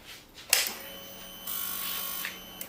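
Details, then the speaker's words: 2012 Honda CBR 250 R, more or less cold, during rear fairing and airbox removal: a click, then an even high whir for about two seconds that stops cleanly; the fuel pump primes normally, confirming the hose is good. "on entend bien la pompe à essence démarrer. Donc le tuyau il est bon."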